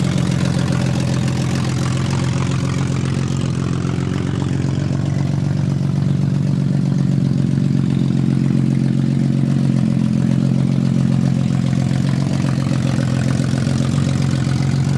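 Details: 1991 BMW 318i E30 with M50NV six-cylinder swap, cold start and warm-up: uneven, loping rough idle; codes show bad crank sensor and bad O2 sensor, cause unconfirmed.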